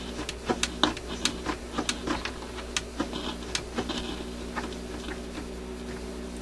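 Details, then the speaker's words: Admiral suitcase record player after new cartridge install, amplifier warming up at 33 rpm: irregular sharp crackles and pops over a faint steady hum; scratchy crackling from the amplifier. "what's the noise there I wonder what's causing that I'm assuming you can hear that scratchy"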